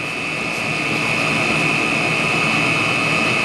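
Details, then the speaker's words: Chinese diesel heater running on used HV46 hydraulic oil in cold night (oil around -7°C), pump at 3.4 Hz, fan 3500 rpm, about 153°C: even steady combustion roar with constant fan whine, no surging or misfire; good burn. "no it's a stabilization 3.4 Hertz at 3500 RPM which has got a good burn"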